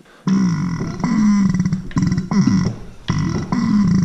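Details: Used replacement air compressor pump, found with no oil inside, turned over by hand in slow strokes, each with a firm rising wheeze and push-back, showing good compression.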